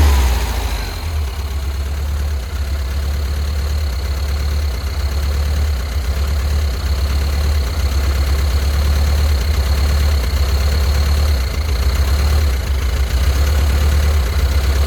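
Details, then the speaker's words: 1971 VW Squareback fuel-injected engine idling for about an hour on new fuel with additives and mystery oil: low, slightly uneven thrum with occasional stumble, getting smoother; owner suspects a gummed-up valve freeing up. "So maybe it was a gummed up valve and it's starting to break that stuff loose from it so it can open and close. But I had it running out here like this for an hour and it just seems to be getting smoother and smoother."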